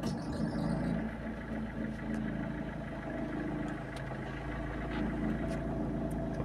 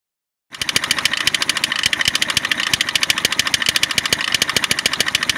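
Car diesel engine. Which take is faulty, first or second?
second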